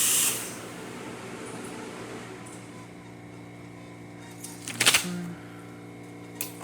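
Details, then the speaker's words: Breville Oracle espresso machine after a full service for a very loud noise and excessive steam release: hot water outlet gives an even, steady flow over a low pump hum, with no buzzing or sputter, working normally. "Hot water, as you can see, working perfectly fine. Nice steady stream as well, working great."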